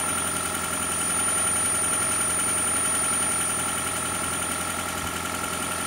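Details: Engine idling during oil pressure test on a 2012 Toyota Prius 2ZR-FXE: a fairly regular light tapping at two to three knocks per second. Pressure reading reaches 60 and then drops slightly. Knock cause unknown.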